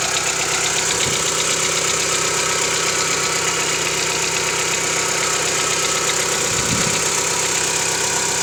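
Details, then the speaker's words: 1995 Mitsubishi Lancer 4G92, about 5,000 km since overhaul, no oil consumption, compression normal: cold morning start with sharp knocking about three per second over a busy idle for about 30 seconds. Cold-start engine knock, cause unknown. "Итак, Mitsubishi Lancer, 95 год, 4G92, стук на холодную. Что может быть? Заводим."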